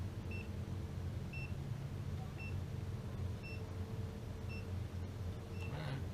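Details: Gas detector on its most sensitive setting at a recently installed water heater, after a repair at the adapter: slow steady high beep about once a second over a low rumble, no rapid alarm; no gas detected.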